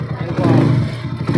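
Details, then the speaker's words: Motorcycle after repair (timing gear replaced), valves still loose to adjust: even engine beat rising cleanly with throttle, tinny noise gone; normal running. "Ayan po siya napakagandang andar na po ng motor niya Ayan Wala na po yung tunog lata na maingay sa kanyang makina Ayan"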